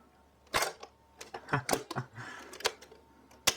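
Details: 1977 Saba CR 336 portable cassette recorder made in Germany, all-metal piano-key buttons pressed with pause between: a handful of solid, separate mechanical clunks, crisp and even; the key mechanism latches cleanly.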